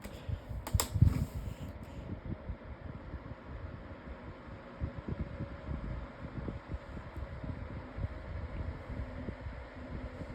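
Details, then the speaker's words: Lasko 18-inch table fan with replacement blade at medium speed: after a brief knock, an even soft airy whoosh with low steady drone, quiet like a cyclone pedestal fan; normal operation. "Still pretty quiet. [snorts] Has a pretty nice sound. Sounds like a cyclone pedestal fan almost."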